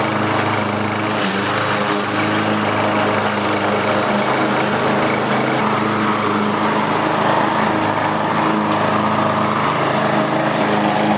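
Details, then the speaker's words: Walk-behind lawnmower after carburetor replacement: engine now holds a steady, even drone with no hunting or surging, where before it ran rough and surged; normal running. "and I'm really happy with the way this mower runs now it's nice and steady before I was running a bit rough and it had a bit of a surge"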